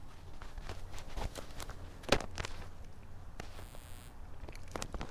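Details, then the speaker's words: Triumph Tiger Sport 800, 4,900 miles, cold after a week unstarted, fast cold idle: steady hum with light uneven ticks, normal cam chain noise, slightly quieter overall than a Tiger 900 GT Pro. "I guess, if anything, to me the Tiger 800 sounds a little quieter than the Tiger 900 overall."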